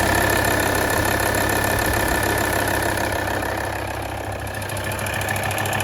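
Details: D5244T12 diesel, 170,000 km, cold start below +5°C: light regular tick about three per second over the idle, loudest from the front wheel arches (right slightly more) and near the drive belt, seemingly from the engine's rear; it disappears once warm.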